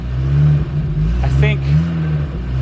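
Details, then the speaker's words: 1982 Porsche 924 Turbo after years sitting, tank nearly empty with gas evaporated, refueled: deep steady engine rumble holding even through a throttle blip; runs normally without misfire. "Here we go. Yep. It's going to run, guys."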